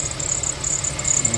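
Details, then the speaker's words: Infiniti FX35 at idle, squeak briefly silenced by WD-40 on the drive belt then returning as it dries: sharp high irregular chirps over smooth idle, sounding like a bearing but actually the worn belt slipping; belt needs replacement. "Сейчас уже мы слышим, что появляется некий скрип подскрипывание. Это всё свидетельствует о том, что ремень под замена."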